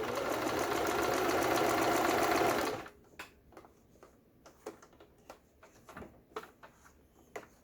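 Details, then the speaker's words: Juki HZL-12Z small sewing machine, bought used and not stitching, test-sewing a zigzag at a dense stitch length after full repair: a fast, even whirring run for about three seconds, then light regular clicks, with no knocking. Normal zigzag stitching. "지그잭 바느질은 땀수를 촘촘하게 하는 게 좋겠습니다."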